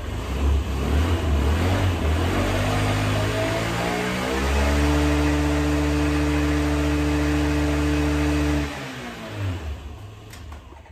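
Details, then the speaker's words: 2004 Honda Metropolitan scooter, sat four years, carburetor cleaned and reassembled, before test ride: revs up smoothly, holds an even steady tone, drops back cleanly; runs really good; normal running. "okay so I got the carburetor back together and it runs really good so I'm going to throw that seat back in and then take it for a test ride"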